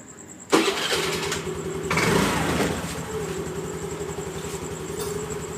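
Starter whirr, then it catches and settles into an even idle with no stumbling; scooter is starting and running normally.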